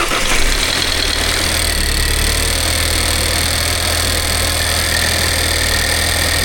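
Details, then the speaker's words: Alfa Romeo Giulietta Cloverleaf after coolant-loss repairs, idling just after first start: even settled idle with light fast tick from the loud high-pressure fuel pump; smooth and healthy. "The high-pressure fuel pump is loud. It looked okay and I know they are"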